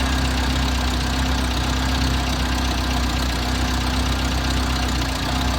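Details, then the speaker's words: Six-wheeled Toyota truck (Hilux-type) engine after fuel tank replacement, new fuel filter and spark plugs: steady low idle with uneven, lumpy beat, no smooth rhythm; odd rough idle persists, maybe worse, cause not yet found. "Well, clearly the fuel filter and the spark plugs didn't fix my problem. I still have that odd idle and it may be even worse now."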